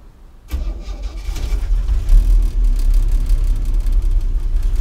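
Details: 1964 Chevy C10 with 230 inline-six petrol engine at start-up: runs roughly with an uneven, stumbling misfire beat and can stall.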